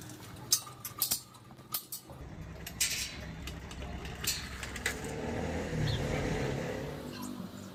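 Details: Motorized bicycle with a new two-stroke kit engine, after the noise fix: even buzzy idle with no knocking, running cleanly.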